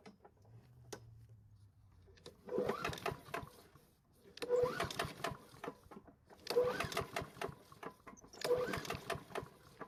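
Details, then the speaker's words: Small engine at its spring start-up after storage, pull-started: four separate pulls about two seconds apart, each a rattly burst with light metallic clacks and a slight clanking on the pull; it did not fire, and the clank's source is unclear. "don't know if you can hear that but there's a slight clanking noise when you pull it over it's a real shame but it will be used until the engine dies"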